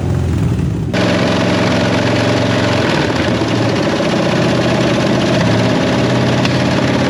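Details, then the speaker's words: 1967 Ford Mustang fastback recovered from West Virginia, heavily corroded, carburetor seized and due to come off; rough, lumpy idle with uneven beat and occasional stumble, sounds like a misfire, blamed on corrosion but not confirmed. "what do you think sounds like a bit of a Miss uh yeah that doesn't surprise me because everything's pretty Cor eroded"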